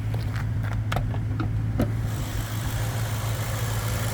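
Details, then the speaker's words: 2005 Maserati Quattroporte, Ferrari 4.2-litre V8, warmed up: smooth, steady V8 idle with no misses, heard with bonnet open after new battery, earth cable repair and full reset cured electronic faults; normal idle. "Let me just open the bonnet and let you see the engine. Oh, she sounds good now."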